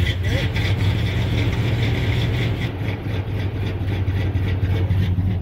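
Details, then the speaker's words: 1988 GMC Suburban, engine dead cold, starts and idles fine: low uneven note that lopes and stumbles like a big cam when throttle is cracked slightly; light-throttle stumble, owner suspects throttle position sensor. "she fires up just fine it's the idling just fun but if I give a little bit of throttle"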